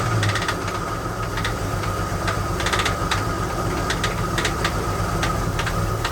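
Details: AMC Concord parked 26 years since 1997 over carburetor issues, first start: lumpy, uneven running with irregular clattering knocks over the drone, no oil pressure shown, knock suspected in top end.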